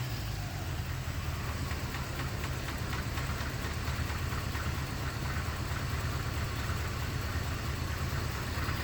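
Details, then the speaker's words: 1988 or 1989 Corvette, long-sitting, just started after rewiring a reversed hot/ground connector, before ignition timing is set: steady idle with uneven, lumpy beat and occasional stumble; cylinder misfire. "Well, it runs. Doesn't sound like the happiest thing on earth, but let's see what happens once it runs a little bit and actually gets some life back in it. Okay, it's kind of running. It has a misfire to it."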